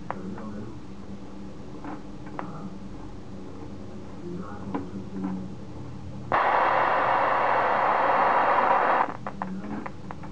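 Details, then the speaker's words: Homemade Geiger counter built from an internet schematic. After the tube voltage is turned up, irregular clicks of about four per second give way to a loud continuous hiss. The tube appears to be saturating, suspected but not confirmed. "voltage there we go we're hitting the more saturation point it looks like it's a delicate balance"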